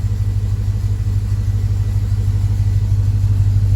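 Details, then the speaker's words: LS-swapped Chevy K10 first start, still on temporary intake and exhaust, about 42 psi oil pressure, charging about 15 volts: deep, even rumble, steady beat about three per second, no misses or knocks; healthy V8 idle. "i still need to figure out a decent intake system an exhaust system but it runs now and it idles"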